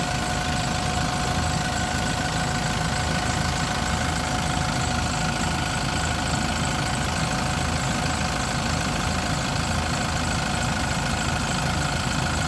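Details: Yale diesel forklift, started on a battery boost: even low diesel rumble at steady idle, no stumble or hunting; normal diesel idle.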